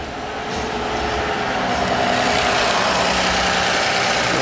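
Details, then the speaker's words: Toyota Aurion that had an oil light and engine buzzing/rattle, after the fix: steady even idle, oil light gone, horrible noise gone, faint whir up front possibly water pump noise; normal idle. "Oil light gone. Horrible noise is gone. It sounds actually like it might have a bit of water pump noise there, but yeah."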